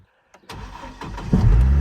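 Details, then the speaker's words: Chevy Colorado after Passlock no-start: a couple of quick cranks, then it fires and settles into a deep, steady idle; normal engine start. "now it starts that's the guy we're looking for right there"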